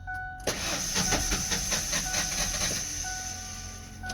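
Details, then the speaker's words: Car cranked from a jump pack: uneven, lumpy cranking of about 2.5 beats a second that never fires, not hitting on all cylinders; broken timing belt suspected, not confirmed. "right that's all the cranking we're gonna do because it doesn't sound like it's hitting on all cylinders could have a broken timing belt which would be really bad"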